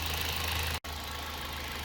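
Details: Car with an aftermarket coil on cylinder 2 (owner complaint: misfiring, horrible noises, no power); engine currently not missing, steady even idle hum with smooth low beat, no skips; thermal imaging shows a heat spot on coil 2.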